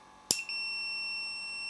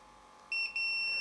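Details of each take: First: Samick KS10 guitar amplifier, power switch tested with the meter while fitting a new power cord: probe click, then a steady high continuity beep of about two seconds that stops when the leads lift; the closed switch conducts cleanly. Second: Samick KS10 guitar amp power rocker switch on a continuity test: a steady meter beep cuts out briefly when the center lead is moved, then returns and holds. Intermittent contact from a loose internal pin or bent rocker.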